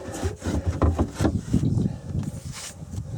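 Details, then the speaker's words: 1994 Sea-Doo SPX with water in the crankcase, engine turned by hand, getting easier: dry, uneven rasping scrape about three strokes a second; owner fears rusted crankshaft, not confirmed. "it's getting easier I don't like that sound though I can just imagine a crank case full of water down there rusted crankshaft"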